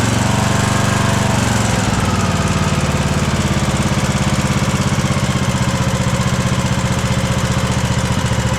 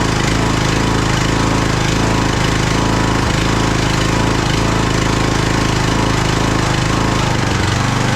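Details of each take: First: Craftsman DLT3000 lawn tractor small single-cylinder engine after swapping in a cleaned Walbro carburetor, before valve adjustment: steady, even idle with a soft valve tick and no stumbles; normal healthy idle after fixing backfiring and surging. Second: Craftsman DLT3000 lawn tractor engine, jump-started, oil level full: loud, lumpy chugging about twice a second with ragged stumbles. It is running rough and backfiring through the carb, among its carburettor problems.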